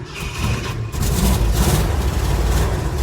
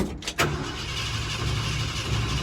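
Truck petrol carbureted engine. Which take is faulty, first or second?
second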